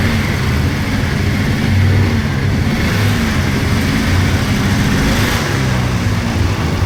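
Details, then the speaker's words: 1999 Polaris XCR700 triple two-stroke snowmobile, after adjusting belt deflection on the adjustable clutch: a raspy, steady low drone at idle and on throttle with no belt squeal. Jetted fat; clutch engages below 4,000 rpm. "Uh so, a little more messing to do with it, but overall, yeah, that belt deflection cleared that squeal right up."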